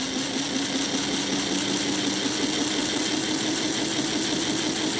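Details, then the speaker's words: NGS Northern clone model locomotive chassis, all 8 wheels, extended K5 tender, running at 50%: steady even whir of wheels with constant mid tone, gear noise and whine gone; smooth running drive. "But if you listen, all you hear is the worring of the wheels. The gear noise is gone. The WW is gone."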